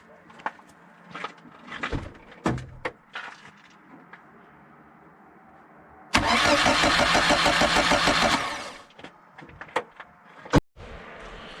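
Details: VAZ 2111 starter after maintenance and lubrication to cure whistling: spins the engine with a quick, even churn of about three pulses a second, then it catches cleanly with no whistle; normal starter cranking.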